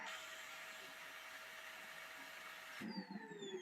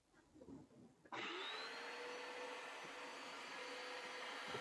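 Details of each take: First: Vacuum cleaner (Hoover Spinscrub or Kenmore) runs with a steady even hum, then something triggers a sudden change to falling whistles and uneven bursts; intermittent abnormal noise, cause not yet traced. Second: Vacuum/carpet cleaner tested with the brush roll installed: the motor spins up to a steady, even hum with a constant mid tone, then winds down smoothly; the brush roll drive turns normally, though the brush needs cleaning.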